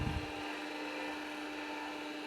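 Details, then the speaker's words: 40-year-old MiniScribe hard drive in an IBM 5161 expansion unit attached to an IBM PC 5150, covers off at spin-up: loud steady high whine over a rushing roar like a jet taking off; deafening, noisy spindle bearing or motor suspected. "well I did did stop there for a bit the noise from the hard drive was just deafening so uh I put the covers on both of the systems"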